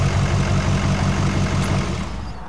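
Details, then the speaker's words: Modern diesel truck with after-treatment deleted, suspected holed piston in cylinder 8 (left rear) and metal-contaminated fuel system: deep lumpy idle with an uneven thump each cycle from the misfiring cylinder, then shutdown. "You know, when you have a cylinder that's misfiring like that, you are just wrecking your after treatment system."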